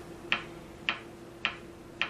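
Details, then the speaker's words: Philco 39-7 tube radio under repair: sharp ticks a bit over half a second apart over low hum; touching a diode speeds the clicking; 6A7 plate reading 160 V versus 145 V expected; intermittent ticking fault. "as you can see that touching the diode speeds up the uh clicking sound"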